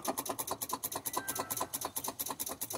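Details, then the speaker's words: Volvo VNL truck with Cummins ISX that won't start, battery voltage present: quick light clicks about seven a second from the starter solenoid near the floor, no cranking; failing starter suspected, being struck with a bar. "I can hear that starter solenoid down there bumping by my foot sound like yeah she ain't want to do"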